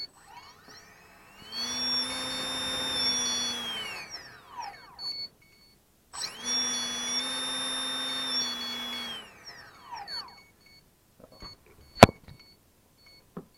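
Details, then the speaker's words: Electric motor spun up twice: a loud, steady, even high whine holds, then dies away on coast-down. The bearings have been ruled out as fine, so the cause of the noisy motor is not found. "Oh, that one is really bad. As you can hear, really bad."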